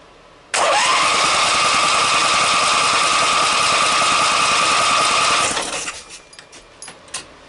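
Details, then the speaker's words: Briggs & Stratton opposed-twin with dual carburetors, which ran fine before, with very faint spark and fuel kicking up out of the carburetors: steady starter whine and even cranking for about five seconds, never catching; timing parts untouched, cause unknown. "got gas kicking up out of the carburetors we haven't had the valves out of it didn't have the Pistons out of it didn't have the uh cam shaft out of it so nothing should have changed in the timing and it ran fine before"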